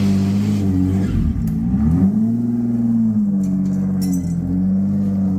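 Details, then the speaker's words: Turbo 3800 V6 Cutlass Cruiser wagon, 5-speed, new build with tune not yet learned, first drive on its own power: revs climb and drop cleanly, no misfire or rattle; stalled a little but runs healthy. "So it did stall a little bit, but otherwise ran extremely well for the first time it's ever actually driven on its own power."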